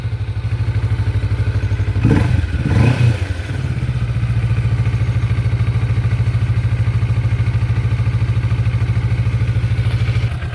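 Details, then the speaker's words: Kawasaki Vulcan S650 after repairing a slightly worn starter switch that wasn't making contact. It catches after a brief crank and holds a smooth, even twin-cylinder idle with no misfires. "all right well looks like we're back in business everything's working fine switches are working again"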